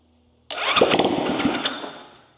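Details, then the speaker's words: Zongshen Z190 engine swapped into a Honda C50 motorcycle fires on its very first start, a burst of a few rough firing beats that fades within about two seconds; choke then added and it runs. "It fired. Let's get a bit of choke. Wait, it runs."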